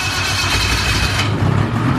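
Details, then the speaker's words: 2000 Ski-Doo Grand Touring 600 two-stroke snowmobile, sat outside about 3 years, after cleanup: starts and revs crisply, then settles into an even, lively run with no stumbling; normal start and warm-up. "Just figured I'd get her warmed up a little bit so that it's easier on me to pull this thing."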